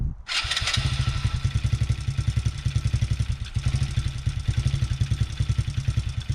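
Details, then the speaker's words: TaoTao Coolster 110cc youth ATV that had been bogging and backfiring, after repairs (a kink was felt in the fuel line): fires straight up into a crisp, even single-cylinder beat with clean revs. Normal running. "This thing rips. Holy cow."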